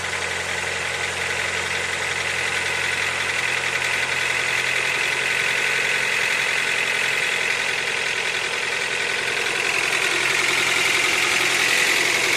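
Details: 8th-generation Honda Accord engine at 63,000 mileage, idling: steady idle with a crisp, even tapping of nearly three beats a second; engine knock, source not pinned down.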